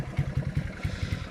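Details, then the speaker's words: Honda CT90 Trail 90 small single first start after many years in storage, turning over freely with timing marks checked: steady thumping idle, about five even pulses a second with light tappet clatter; runs fine, normal idle. "so let's roll this thing out and see if we can get it to run under its own steam oh it's a runner it's a runner"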